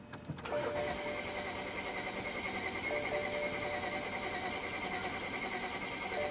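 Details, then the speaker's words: BMW 335i towed in with crank-no-start and DTCs 2DD6 and 2DCF: the starter turns the engine over steadily with a whirring whine but it never catches; technician notes a weird noise and suspects a compression problem, unsure. "It It sounds like there's a compression problem with this engine."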